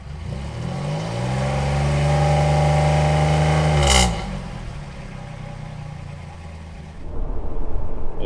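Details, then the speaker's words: 1997 Chevrolet Camaro, 3.8 L 3800 Series II V6, new Walker Sound FX 18235 muffler: revs up smoothly with deep even tone then settles to calm steady idle; normal exhaust note. "in car with the window down. I'm going to get on it. That sounds pretty good, actually."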